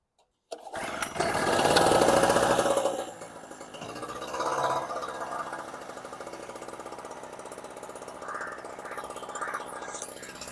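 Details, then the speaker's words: Storm Cat 700W Harbor Freight generator, 63cc two-stroke on 50:1 mix: fires and revs loudly for a couple of seconds, then sags to a weak uneven putter and dies. Owner suspects fuel starvation, possibly the carb float. "It runs for a while, then quits out. Is it the float? If it's getting enough fuel to run for a second or 2 and then quits."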